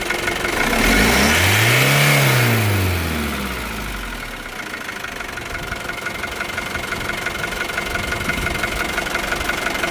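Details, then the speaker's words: Isuzu D-Max 2.5 TD diesel, 2021 model, 48,000 km: rises smoothly in one clean rev, falls back to steady even idle clatter; no knocks, sounds healthy. "Engine side కూడా చాలా బాగుందండి మీకు ఏమైనా interest ఉంటే ఒకసారి చూసుకోవచ్చు"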